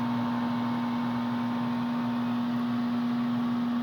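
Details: Furnace heater that quit working: steady low electrical hum at one fixed pitch; owner thinks it's the fan motor but isn't sure, flame no longer lighting, diagnostic light flashing a four-flash code.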